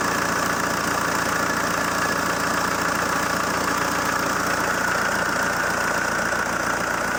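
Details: ZMZ-514 Euro 2 turbo diesel idling after repair of earlier knock: even steady idle, smooth low rumble, no knock or tapping; bottom end healthy.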